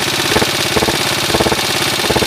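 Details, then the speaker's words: 1983 Honda XR80 with a $150 eBay transplant engine idling, running well with no smoke. Sharp puffing bursts in clusters over the engine beat, like gas escaping at a joint. Owner hears an exhaust leak and suspects a missing bolt. "Sounds like there's a bolt out or something."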